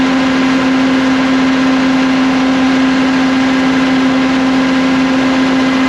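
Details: CAT (Perkins) C4.4 diesel running after injector replacement that cured a crank-no-start from excess fuel bypassing the injectors: steady, even running with a constant hum and no knocks, misses or rough patches; engine sounds healthy.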